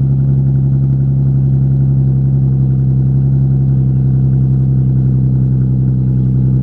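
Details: Daily-driven car idling, exhaust not bolted to the Y-pipe: loud, deep, blatty unmuffled rumble from exhaust leaks at the flex joints.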